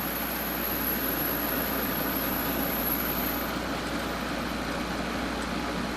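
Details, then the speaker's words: GE 12,400 BTU window air conditioner, first test run on low fan with compressor running: steady even hum and airy fan rush, no rattles, clicks or grinding. "Alright, let's give it a test run. There's low fan. Compressor's running."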